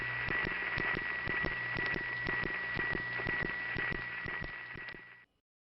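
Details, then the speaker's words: 1977 Bronx East 150th Street central office, phone-line recording: steady low hum with a thin high tone and sharp ticking clicks; that office's normal power-plant noise. "to the uninitiated of course these are just hums and why bother paying attention but to us these were reliable noticeable landmarks that we kept coming back to"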